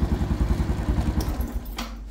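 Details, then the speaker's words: Honda Wave 110 motorbike that had no spark and wouldn't start from a broken wire, after temporarily reconnecting the wire and reinstalling the spark plug: catches and runs with steady, even low putter at quick idle, then settles; normal start and idle. "Now I'm going to install the spark plug and I'm going to fire it up. Now I'm going to fire it up."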